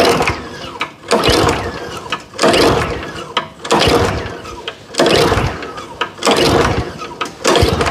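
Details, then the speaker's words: Nearly new Kawasaki push mower, used about five or six times, fuel on and full choke at about 30°F after 5 months stored. Repeated rope pulls only whir and rattle and the engine never turns: recoil pawls not coming out, owner suspects frozen. "for some reason the recoil little claws weren't coming out when i was pulling on the recoil maybe it was frozen"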